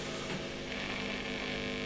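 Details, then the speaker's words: Marshall Valvestate S80 amp with intermittent sound: a steady low mains hum with almost no guitar coming through, very quiet, and touching the pot makes the signal come and go. A dirty potentiometer is causing the low output. "so just a touch on this pot here and the signal comes and goes which tells me that's a dirty pot"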